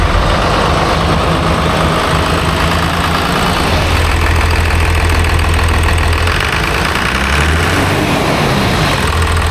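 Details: Newly overhauled 5.9 12-valve Cummins diesel, about 500 hp, swapped into a Ford chassis farm truck, first start after install: deep, steady idle with even low throb, no knocking or misses; healthy idle.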